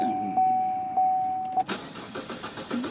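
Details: 2014 Chevy Cruze Ecotec, crank no start with no stored or pending codes and fuel pressure about 58-60 psi: starter whirs steadily with a slow beat but the engine never catches; a failed ignition coil pack gave no spark.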